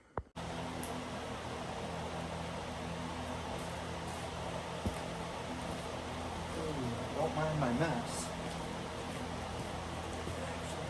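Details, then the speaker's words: 1994 Polaris RXL snowmobile, EFI 650 triple converted to 38 mm carburetors, first throttle test after only idling, expected to smoke heavily: a steady buzzing two-stroke idle swells under a throttle blip and settles back, no knocks or misses; it runs fine. "here in a moment i'm going to fire it up and test the throttle and it might not sound the greatest and it's going to smoke like crazy"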